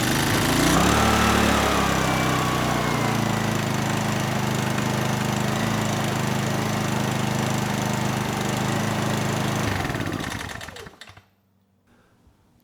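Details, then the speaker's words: Honeywell HW2000i 2000 W inverter generator after regapping its Torch spark plug from about 0.016 in to 0.030 in: started on second pull, runs smooth and even at steady fast beat, no misfire or hunting, then shuts down cleanly. "even a good plug gapped improperly is going to cause issues and in this case it was just gapped incorrectly and now it started second pull"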